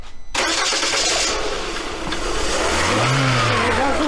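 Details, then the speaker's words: Lada Granta FL after decoking; first attempt failed, so plugs were removed and cylinders blown out. On the third attempt a long rough crank, then the engine catches and revs. Hard start, likely fuel-flooded cylinders. "première tentative n'a pas commencé dévissé les bougies a soufflé les pétitionnaires en versant ils ont tourné et c'est trois fois donc tout maintenant la troisième tentative a commencé après décokage tout va bien maintenant ça y est ça marche"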